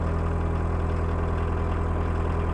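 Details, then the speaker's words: VW Mk1 Rabbit 1.6L turbo diesel, fuel pump idle raised from about 500-600 to about 800 rpm for cold weather: steady, even idle thrum with no rattles or knocks; normal idle. "but if this is like 500 600 RPM then I want to be like right here maybe right there which is like 800"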